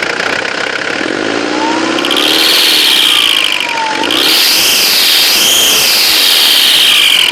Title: Excessive turbo whine